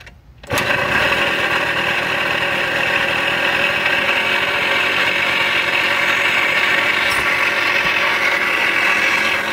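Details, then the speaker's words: Suzuki DS80 two-stroke after being kick-started on choke. It runs with a harsh, raspy growl under its buzz: worn crankshaft main bearings. "that my friends is the sound of bad crank bearings and that right there is not a good thing at all"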